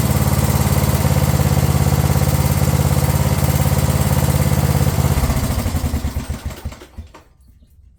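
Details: Craftsman LT1000 riding mower single-cylinder after repairs including starter and carb: a steady, even thump at about three and a half beats per second, then it winds down and stops; runs healthy.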